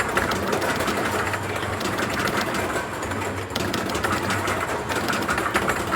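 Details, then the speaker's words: Quick Drop arcade game after cleaning, quick PM, new turntable motor, new balls and the motor reconnected: steady, even light clatter of the turntable drive with no catches or surges; turntable motor running normally. "All right, so I've cleaned it out. A little quick PM, new motor, new balls. Game's working good."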